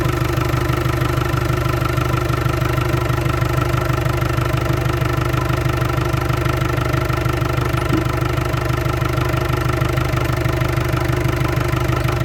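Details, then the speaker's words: Land Rover Discovery 300Tdi diesel, first run after a donor engine swap with a mechanical injection pump, new timing belt, alternator, turbo and valve clearances set. Very regular, smooth idle clatter at about three pulses a second, no knocks or misfires; the oil pressure light goes out. Healthy idle. "that sounds mint as well that sounds really good I'm happy to put that into cooler pipe back on now oh I'm really pleased with that that sounds good really really good I'm so pleased it's fired up"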